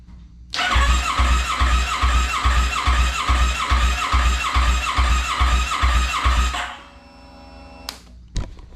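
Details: 2009 Kawasaki Ninja 650R being revived after sitting, with a newly fitted fuel pump, level sender, hose and tank. The starter cranks evenly, about 2.5 compressions a second for six seconds, without firing. The FI light shows no fuel pressure. It has spark; the owner is unsure whether the pump or injectors work.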